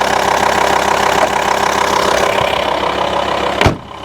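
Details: VW T5 Transporter 2.5 diesel (BNZ) idling after fixing the intermittent A/C fault: constant even compressor hum, no rattle or squeal, cold air and cold pipes; A/C working normally.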